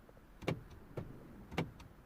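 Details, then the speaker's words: Mini Cooper D (R56) with no ignition, no crank and no start, central locking not responding: the power window motor gives four short whirring jerks about half a second apart, trying to move up and cutting out each time. Cause not confirmed. "so when i press either up you can see it tries to go up first"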